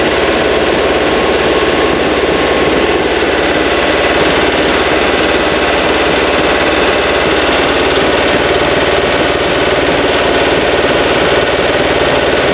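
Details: New 2180cc VW Beetle engine (92mm pistons) for a 1968 single cab, first start break-in run, timing being set: loud busy but even air-cooled clatter at constant speed, no knocks or misses; healthy.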